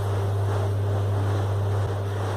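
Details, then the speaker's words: Split air conditioner indoor blower wheel after balancing with counterweights, run on a bench rig at maximum speed: steady, even low hum with no wobble or rhythmic thump, now balanced and smooth. "Así que ahí quedó bien balanceada no se mueve la mesa está perfecta Ahí está en máximas revoluciones y ahí quedó perfecto"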